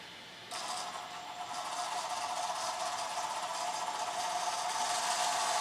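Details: IMEX Panzer III metal hulls, brass dual-ratio vs lapped steel gearboxes at very slow creep, stock electronics humming: a quiet, light whirr with fine, even gear buzz and no grinding. Both sound quiet, little difference, because steel was lapped with compound.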